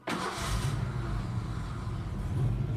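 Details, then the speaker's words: 1986 Ford Ranger 2.9 after replacing vacuum-leaking brake booster: starts quickly, idle wavers and lopes (bouncy idle) instead of holding steady; brakes fixed but rough idle persists, cause unknown. "but the brakes work good um yeah i gotta figure out what's this idol this like bouncy idol"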